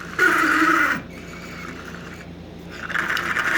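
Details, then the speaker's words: Lionel 8500 switcher model locomotive powered on as bought, before any lubrication: a thin high whine rising and dropping with a gritty edge as the motor strains, the gears running dry and unlubricated. "Wow. It tries to. There we go. That's because it is so dry. You can hear the gears."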